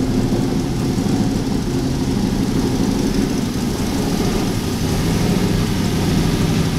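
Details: Aston Martin V8 Vantage that crashed into a store, running for the first time after a year of work: a deep, steady V8 burble holding even with no stumbles or rattles; normal running.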